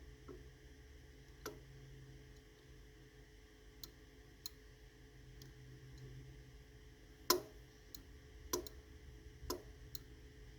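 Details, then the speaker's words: Relay forced closed by holding a big magnet against it: sharp isolated clicks a few seconds apart over quiet room hum, each one the relay activating; normal relay click. "You hear that click? That's the relay activating."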